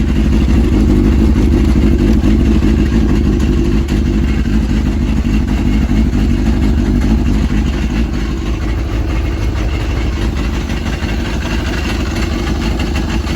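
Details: Yamaha RX1 1000cc four-stroke snowmobile, sat six years, first start after ultrasonic carb cleaning and new fuel bungs, starting instantly: strong even low-pitched idle holding steady without stumbling or hunting, running cleanly.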